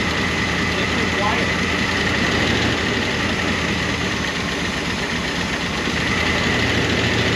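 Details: 1988 Monte Carlo SS V8 revived after sitting over 20 years, idling on a temporary fuel tank: a light, quick ticking about three per second over a steady idle from rocker arms that started to quiet but never fully did.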